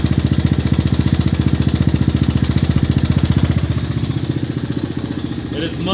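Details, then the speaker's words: 1984 ATC Big Red after valve adjustment, cam chain tension, timing and fresh spark plug: single-cylinder thumping at steady idle about four beats a second, only faint chain rattle; much quieter, running normally. "quieter running really good"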